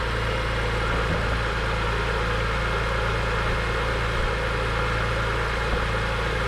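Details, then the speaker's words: BMW E46 M3 found overfilled with oil, first start after oil change on a jumper pack, very smoky; even steady idle with a smooth low rumble, no misfires; normal idle. "she runs guys sure i'm good not a single misfire pretty happy about that"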